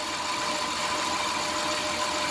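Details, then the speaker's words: 2003 Dodge Grand Caravan 3.3 with 372,528 miles, idling after belt replacement: even, smooth idle with no chirp or hiss. Idler pulley, tensioner pulley and power steering pump had been replaced earlier without curing the noise. "this was the problem the belt i think you can hear the difference now it sounds much better so you can hear that the chirping and the hissing noise is gone"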